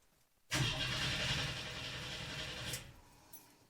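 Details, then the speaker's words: 1982 Chevy S-10 with a freshly swapped 3.4 L V6, cranked with the fuel relay fuse out and coil disconnected from the distributor to build oil pressure: about two seconds of steady starter whirring with no firing; normal cranking, oil pressure reached. "Since we don't have spark because I have not connected the coil to the distributor, I think we're good to start building some oil pressure."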